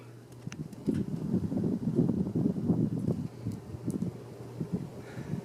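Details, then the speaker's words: 52-inch Hampton Bay Cameron II Plus ceiling fan on high in reverse: soft low hum under a gentle whoosh of air, no ticking, wobble or grinding; slightly quieter than forward, normal running. "And it's actually quieter in reverse. I'm not really sure how that works. But it is slightly quieter."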